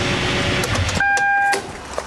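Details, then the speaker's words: 100 Series Toyota Land Cruiser with a newly replaced power steering pump, during bleeding with the engine running and the steering wheel turned; a steady high whine rises over the engine from air still going through the system. "because you can hear it starting to whine from Air going through the system"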